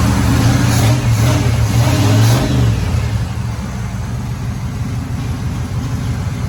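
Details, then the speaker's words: Third-gen Trans Am after a header install, on the open Y pipe with bolts tightened: a few throttle blips, then a settling, even, deep V8 idle with no ticking leaks. Normal idle on open exhaust. "See or heard, it's runs, and I didn't hear very many exhaust leaks, but I am going to go ahead."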